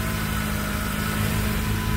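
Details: Dodge Caliber with TIPM fuse-box fuel pump feed fault, restarted just after shutdown; steady even idle with a smooth low hum, no stumbling or dying, fuel pump working, left running for scanning.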